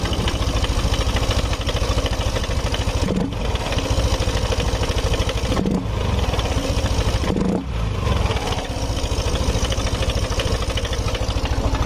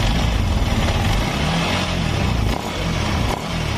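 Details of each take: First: Yamaha NMAX scooter engine with hard starting and stalling, fuel pump pressure checked at 40; busy, uneven top-end clatter that rises with RPM and comes and goes. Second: Yamaha NMAX scooter engine, which had been hard to start, stalling and noisy, runs smooth and steady after checking the rocker arm and cam chain tensioner and replacing a part near the primary pulley, with no ticking or rattling.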